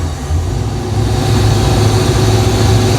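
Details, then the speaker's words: Project boat V8 with timing only roughly set at number one, floored on the water: deep rumble builds slowly, never picks up sharply, bogging; owner suspects fuel issues, fuel pump found not working. "Are we running out of fuel? Yeah, we're having fuel issues."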